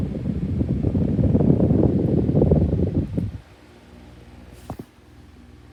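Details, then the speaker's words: 2019 Schallen 12-inch desk fan: loud, rough, rattling, scratching grind pulsing about four times a second; owner attributes it to bad bearings, fan failing. "this fella's on its way out as you can hear all right start up on this fella with bad bearings so here we go you can hear the scratch noises now"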